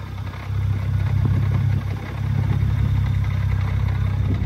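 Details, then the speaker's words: BMW 135i with 550i/335is clutch and lightweight flywheel, Burger sport muffler, at stock idle recorded from a distance outside in wind: loud idle with loose uneven clatter over low rumble, typical lightweight flywheel rattle, resembling slight engine knock. "you can hear it's a bit it's a bit loud you know not too loud i think it's doable especially from this distance people might think you know it's a slight like knocking noise from the engine but i think for sure it's doable"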